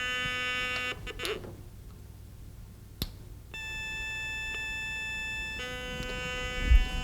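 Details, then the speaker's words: White's GMT metal detector switched to manual ground balance: steady threshold tone shifts to a different held pitch as the coil passes a hot rock; mineralization sounds off because ground tracking is not applied. "if I put this on manual you can hear that the rock is making a noise now"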